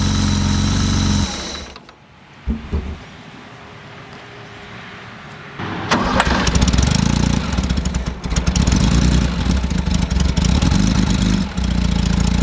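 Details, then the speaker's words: 1977 Porsche 911 barn find running for the first time after long storage, smoky while burning off oil: it catches after a few cranks and settles into a lumpy, uneven run with loud exhaust pulses; still runs rough. "now we got to make it run well but it does run and that is such a huge victory i just can't even explain it"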